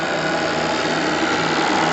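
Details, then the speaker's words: Live RC steam launch Topaz, Anton T200 steam engine with burner matched to its small boiler and a newly installed regulator: steady even gas burner roar with faint hiss, no pulsing or sputter, holding 2 bar working pressure with about 1 cm of water left. "Et la pression reste aux alentours des 2. Donc la machine est parfaitement adaptée. Même à fond. La chauffe est suffisamment puissante pour me garder la pression de service à 2 bars."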